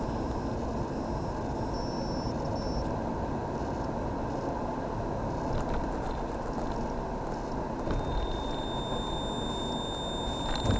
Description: However, high-pitch noise (V sound like echo) intermittent behind the central AC console or somewhere behind dashboard.